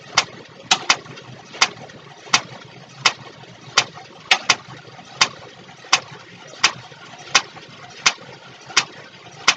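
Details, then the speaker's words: 1962 Cadillac Sedan DeVille with stuck valves and timing way out, distributor out, while cranking: sharp irregular pops about 80 a minute; owner suspects a tappet sticking and snapping back down. "so it looks to me i do believe our popping noise is these uh tap it's getting stuck and popping back down from the sounds of it that's what it looks like"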